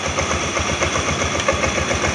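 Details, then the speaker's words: Honda Beat automatic scooter started by remote after installing a Bohante alarm: small single-cylinder engine puttering at a quick, even idle with a steady beat, no knocks or rattles; normal idle. "Nah ini tekan dua kali ya kita tengok respon daripada motor udah hidup suaranya"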